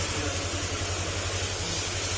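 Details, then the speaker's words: Honda Click 125 after replacing the crankshaft bearing, gaskets and oil seals and refilling oil and coolant: smooth, even idle with a steady low beat; the "big bike" wang-wang drone is gone and no knocking remains. "Ayan mga sir, wala na yung tunog big bike niya."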